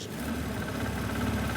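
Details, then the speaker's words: Engine rebuilt with homemade aluminum connecting rods cast from soft drink cans, running roughly and stalling with a deep regular knock from inside; appeared once throttle was applied, then the engine broke. "From inside the engine. It wasn't there on the way up. It appeared as soon as I gave it some gas. That's the sound of knocking."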